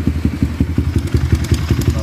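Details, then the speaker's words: Kawasaki KLX150 fitted with a replacement PWK carburetor, idling cold: a sharp, even ticking of about five or six clicks a second that sounds like the tensioner. "Nah, konsumennya mengeluhkan ketika posisi dingin lah, dingin dia bunyi ketik-ketik gitu ya."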